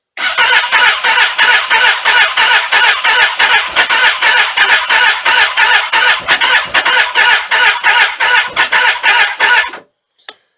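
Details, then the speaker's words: Suzuki Katana after sitting all winter with no charge, cold, on full choke and fuel prime, cranked from a Ballistic battery: the starter cranks slowly at about three compression beats a second for ten seconds without catching. Cause unconfirmed. "so it's cranking the engine um slowly but it's cranking"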